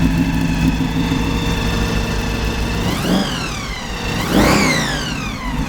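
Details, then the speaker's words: 1933 Ford pickup hot rod, crate 350 Chevrolet V8 with BDS 6-71 blower, twin Holley 600 carbs, Voodoo cam, large chrome mufflers: deep even idle, blower whine rising and falling with throttle blips; crisp, smooth, well tuned, fairly muted for its size. "This thing is in such a nice state of tune. But all that said, it's actually fairly muted for what it is."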